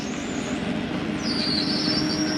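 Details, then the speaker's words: Forest River Sabre 360QB RV slide-out retracting: even motor drone with a thin high whine stepping in pitch, no grinding or clunks; normal slide retraction. "it's okay to hear that don't panic nothing is grinding you'll hear that sometimes going in or out it is the slide mechanism keeping itself from going uh in or out too far"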